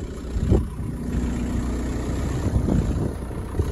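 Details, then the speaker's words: 2006 VW Beetle 1.9 L TDI diesel with DSG transmission, started after an engine swap; starts right up. Steady low diesel idle, even beat, no knocks or misses. Normal idle. "so let's see if it starts right up there it is guys right up"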